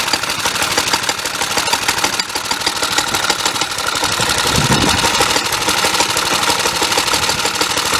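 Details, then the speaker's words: Suffolk Punch 30 mower petrol engine, after cleaning the air filter and adjusting the carburetor, ticks over evenly and quietly under gusty wind with no misses or knocks. It is a normal, healthy idle. "Running pretty decently. It's quite quiet. The muffler's obviously quite good. It was idling"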